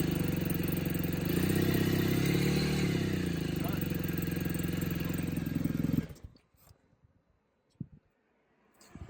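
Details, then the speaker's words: BMW R1200GS Adventure boxer with an aftermarket muffler, test-run after reinstalling the exhaust valve actuator: an even, deep throb with a mild rise and fall in revs, then a clean shutdown; healthy running. "Before I put this back on and put my covers back on here, I am going to start the bike and just make sure this moves with the exhaust, with the throttle motion, just to ensure it works fine."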